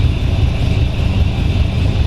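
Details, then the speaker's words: 1932 Ford Hi-Boy roadster, S.C.O.T.-blown 265 CID flathead V8, top down, warmed up a little, oil pressure believed about 20 at idle, nearly out of fuel; deep, even low rumble, no knocks or misses, some wind on the mic; normal idle. "Just sitting here idling like that, very nice."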